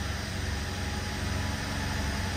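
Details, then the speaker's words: BMW 750Li after transmission repair and refitting subframe, first start: engine idles with a steady, even low rumble, no misses, ticks or knocks, noticeably smoother and quieter than before; normal idle. "definitely a lot smoother and quieter than we had before"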